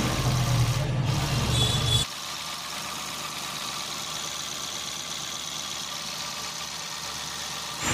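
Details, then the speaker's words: Mahindra TUV300 diesel engine, freshly rebuilt with timing set, idling during its 4–5 hour break-in: a steady, even diesel clatter after a louder opening moment, with no out-of-rhythm knocking; healthy and tight, with the sound expected to improve once run in. "और engine दोस्तों अभी पूरा नया बनाया है तो सभी engine के अंदर के जितने भी पुर्जे हैं बिल्कुल फिक्स हैं और जब यह पूरी तरह से रवा हो जाएगा तो इसकी साउंड में बहुत ज्यादा सुधार आ जाएगा"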